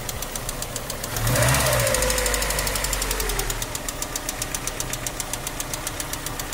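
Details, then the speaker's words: Ford Escort 1.8 16-valve DOHC petrol: sharp metallic tick, about four a second, at idle and through a rev, hot or cold; cause the hydraulic lifters. "Sorunum rolantide ve yüksek devirde, sıcak soğuk fark etmiyor. Böyle metalin metale vurma sesi gibi tiz, rahatsız edici bir ses geliyordu önceki videoda görüldüğü gibi."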